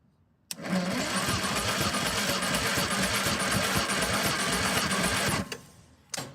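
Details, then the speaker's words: 1958 Morris Minor ute engine that sat unused for 20 years, cranked during a compression test on cylinder four reading 125 with the throttle not held open. About five seconds of sluggish cranking; the battery is getting low. "So that battery sounds like it's getting a bit low. And that's only 125. I wonder if that's just the battery."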